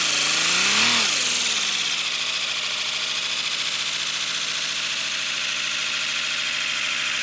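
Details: First-build 3D-printed PLA V12 model engine on compressed air, freshly lubricated, no exhaust port yet: fast, even hiss with steady quick pulsing after a brief rise, running smoothly; a connecting rod later melted.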